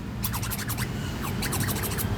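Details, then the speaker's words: Yamaha NMAX rear tube shock after rebuild with new shaft, oiled piston and seal: short squishy hisses and chirps each stroke, smooth and even with no clunks or knocks; shock damping normally, sounds very good. "Nah, suaranya sudah sangat bagus sekali ini ya teman."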